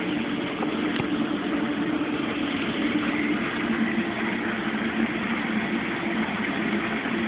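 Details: Mueller Special Brazilian washer, cold-fill-only machine that heats water itself, duvet load on 60°C wash with extra rinse, start of cycle: constant soft hiss of incoming water with low steady hum, no knocks or buzzing; normal cold fill.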